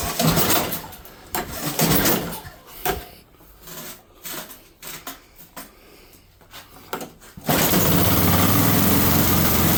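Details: Snowblower at the first snowfall of the season, primer run, throttle on full, choke on: seven seconds of uneven cranking with weak coughs before it catches and settles into a steady run; hard cold start.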